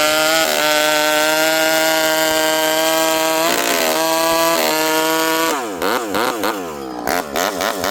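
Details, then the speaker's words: Rebuilt, ported vintage Stihl 064 chainsaw with new piston, clutch and replacement carburetor, 25-inch bar, warm, cutting wood full throttle; high steady scream holds pitch buried in wood, revs crisply clearing; pulls strongly and runs clean. "Wow, this thing cuts. 25-inch steel, full house. I'm leaning on her pretty good there. This thing pulls hard and it's fast."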